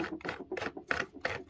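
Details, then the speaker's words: Dyson V8 carpet head brush bar after disassembly and reassembly, previously grinding badly: soft, even swishing as the bar is spun by hand, no grinding left; roller turns freely. "Sounds a little better, but it was really, really grinding before."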